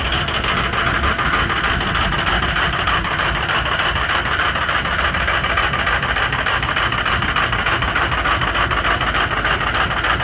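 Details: Ford 6.0 Powerstroke diesel at cold start with some bad injectors; cold idle with loud, uneven clatter and irregular pulsing beat, typical of several injectors misfiring.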